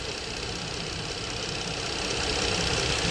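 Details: 2013 Dodge Charger 3.6 Pentastar at steady idle: light, quick top-end ticking about four per second; codes P0020, P0013, P0023 point toward the bank 2 intake cam sensor/connector side, cause of tick unclear.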